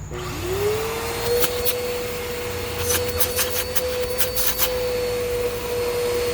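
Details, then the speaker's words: 2012 Bissell Powerforce Helix Turbo vacuum (model 68C7), curb find, motor test run: spins up to a steady high whine with a rough scratchy rattle underneath; worn motor bearings, rest of motor fine, needs bearings. "Oh, the motor bearings are in sad shape. The rest of the motor is fine. It needs bearings."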